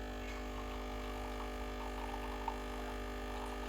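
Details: Breville Barista Express BES870 pulling a programmed two-cup shot of about 40-45 g in 20 seconds: a low, steady, even pump hum with no rattle or surging; the pump is running normally.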